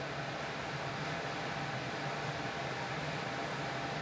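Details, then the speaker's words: Half-horsepower X13 air handler blower motor just replaced after shaking and noise: smooth, steady rush of air with an even motor hum, no rattle, squeal or scrape; normal running during the startup cycle. "it sounds like it sounds good to me"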